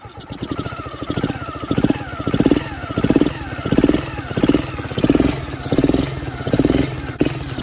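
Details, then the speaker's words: Warm quad engine, first start in several years, restarts after idling; fires right up and holds a steady pulsing beat with no ticking, no visible smoke and no bogging: normal running. "Doesn't feel like it's bogging down at all, so that should be good."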